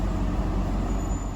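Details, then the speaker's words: 2009 Honda 2.4 idling with A/C on. When the compressor clutch drops out, the low rumble stumbles as cylinders 2 and 3 misfire; with compressor load the misfires go to zero. Idle misfire. "ven que hay momentos donde el compresor se apaga este es cuando empieza a fallar pero si el clutch del compresor entra se activa otra vez eh se le pone carga al motor y se pone en ceros vean deja de fallar"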